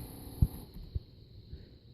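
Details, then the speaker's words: Turbo Honda boost control solenoid tested via Hondata laptop software: soft, regular low clicks about twice a second over a faint hum as the solenoid cycles normally at around 55% duty; louder with higher duty. "it definitely did turn on and it is humming like crazy so we can change the duty on it and make the noise get louder"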